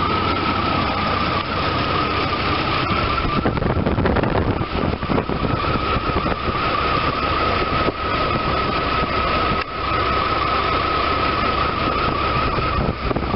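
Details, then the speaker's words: 1993 Chevy S10 4.3 TBI non-Vortec V6 after replacing alternator, serpentine belt tensioner, idler pulley and belt, belt correctly routed: even engine run with faint belt and pulley whir, no squeal, chirp or grinding; healthy accessory drive. "This one is going to be to show you the proper routing and also to show you how true the brand new pulleys run compared to ones with worn and ruined bearings."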